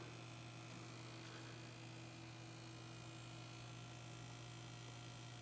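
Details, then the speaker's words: Philco 52-T1802 tube TV after recapping, powered at 117 volts with width control turned in: quiet steady mains hum with faint high-voltage whistle; chassis stable but no raster or sound, high voltage to be probed. "so the good news is it looks like the chassis stable bad news is we have no raster and we should definitely have a raster and some sound and we have nothing"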